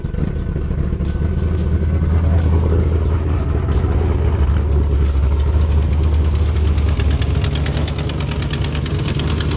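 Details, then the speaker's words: 2010 Camaro SS V8 with BTR stage 4 cam, cold air intake, long tube headers and Borla ATAK axle-backs: rough idle with sharp, fast ticking from a blown header gasket exhaust leak, plus misfire; fixed with new gaskets and spark plugs. "so i blew the exhaust manifold gasket header gasket whatever you want to call it on this side so we've got a huge exhaust leak"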